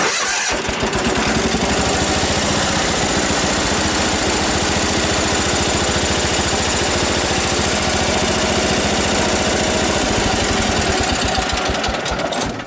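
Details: John Deere 317 tractor after new spark plugs replaced corroded ones, engine still cold: fires almost immediately, holds strong steady even run about twelve seconds, then shuts down; smokes, owner suspects excess oil burning off.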